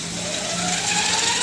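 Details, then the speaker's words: E-bike hub motor on a 48V 18.5Ah lithium triangle battery, throttle pushed with wheel spinning: thin, smooth, quiet whine rising in pitch, no grinding; normal hub motor whine. "hear that weird weeding sound that's the motor so you can see the wheel turning here"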